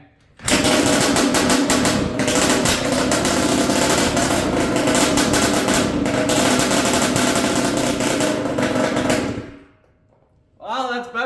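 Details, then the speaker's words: Yamaha Blaster two-stroke ATV with light porting, pipe and rejetting, vacuum port blocked off, first test fire: raspy engine holds one flat speed and never revs up; a mismatched stator and CDI was the cause, fixed off camera. "than previously all right but it won't rev up for some reason I'm going to try swapping the CDI out"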